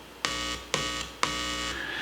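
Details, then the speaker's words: Heathkit AA-100 tube amplifier under restoration, power amp input leads touched with a screwdriver: three sharp onsets, each followed by a steady buzzing hum; output section works, fault is in the preamplifier. "okay so we know the entire output section is working great that's not the problem the problem is somewhere in the preamplifier"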